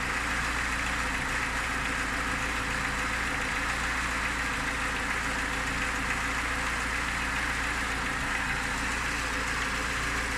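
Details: Lada Niva engine at idle: steady idle with a faint repetitive tapping over the engine note; owner asks what the knock is, source not pinned down.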